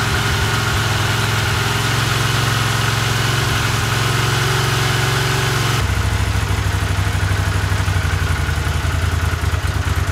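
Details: 1982 Honda CX500, long neglected, after cleaning tank, petcock, carbs, jets, replacing plugs and caps: low lumpy idle, uneven beat shifting partway; unstable idle, no change, cause unfound.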